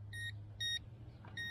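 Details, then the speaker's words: JJRC S4 Spectre RC speed boat on stock battery, three short, evenly spaced high beeps about a second apart over a low hum: the low-voltage cutoff battery alarm is going off. "so there's your lvc alarm and we'll bring it in"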